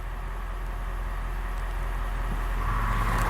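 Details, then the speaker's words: 2021 Ford F-250 Super Duty with Firestone Air Command standard-duty air compressor, engine idling: steady electric hum with a quick even pulse as it kicks on and reaches the 10 PSI target; normal compressor operation. "So I've heard my compressor kick on, and it's going to find that pressure for us real quick. And you could actually hear it dispersing that pressure."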